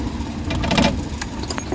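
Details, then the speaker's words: Suzuki Big Eye Transformer DA64/DA63 petrol engine idling with AC on: low uneven rumble with strong irregular knocks and vibration, no check-engine light; oil found inside the independent ignition coil, an ignition misfire. "so lakas na lagatak ayan oh kita niyo yung lagatak ng makina naka-aircon position"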